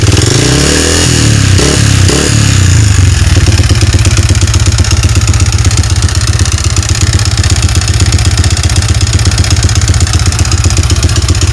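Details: Yamaha Vixion motorcycle engine before repair, smoking, oil-starved from a leaking clutch cover gasket: rough, hollow clatter about four times a second over steady idle; piston-to-cylinder clearance (piston slap), fixed by replacing block and piston.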